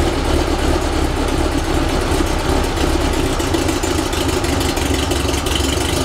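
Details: Rebuilt 1835cc air-cooled VW flat-four bus engine with vintage speed muffler, first start after rebuild, not yet tuned: even, steady idle with a throaty low rumble, no misses or knocks; ran with no real problems.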